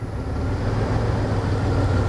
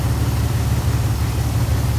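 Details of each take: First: 2001 Dodge Ram 1500 5.2L V8: deep idle that shakes, wavers and surges unevenly; MAP sensor reading extremely low voltage (P0107), suspected bad and replaced. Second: 2001 Dodge Ram 1500 5.2L after a surging problem, MAP sensor code P0107: deep, even V8 idle with a steady low rumble and no rise or dip in speed, vacuum gauge steady; normal idle.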